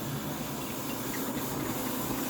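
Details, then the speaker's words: Return fuel system venturi siphon test, drawing last fluid from a jar: soft steady rushing hiss of air pulled through the line, self-priming, no sputter; siphon creates good vacuum and pulls fuel normally. "so even it's not dripping much and i can hear the vacuum it's created it's good so i know the siphon will still pull full and on the saddle tank it'll still pull fuel over from the other side"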